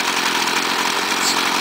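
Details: 2009 STIHL FS38 gas trimmer, previously fixed by owner: high buzzy two-stroke note holding steady without surging or sputtering; normal running.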